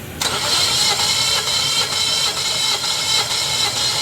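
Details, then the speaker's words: Suzuki Ignis K12C cranking during a compression test. It won't start or idle and only revs above about 2000–3000 rpm. Fast, even cranking with no firing; cylinder 1 read about 90 against at least 150 for a healthy engine, pointing to a blown head gasket. "हां बहुत कम है यार 90 छोड़ दो सही है पहले cylinder का 90 आया था"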